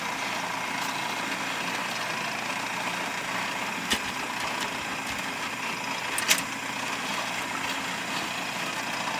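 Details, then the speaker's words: Rock-Ola 477 jukebox with a cleaned, reinstalled mechanism playing selection 183: a soft whirr with light clicks as the carriage goes around once to locate the record and sets it down, a normal cycle. Tonearm tension is still too low. "always goes around once to find out where it's at uh-huh sets it right down"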